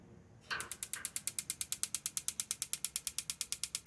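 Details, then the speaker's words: Marey tankless gas water heater, gas on, good spark and battery, part replaced four times: rapid even igniter ticking about eight a second, no burner whoosh; never lights; owner suspects the gas valve isn't getting the open signal. "Good spark, good battery, no ignition."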